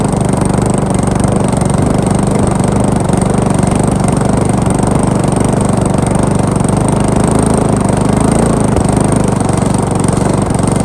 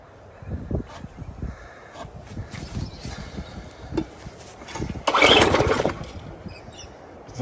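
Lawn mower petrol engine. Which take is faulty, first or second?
second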